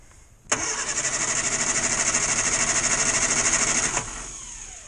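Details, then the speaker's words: 1962 Morris Minor with the failed ignition coil reconnected, ignition on, extra choke: starter churns evenly about three beats a second and the engine never fires; no start from dead ignition coil. "no that don't want to know does it so that old coil is dead"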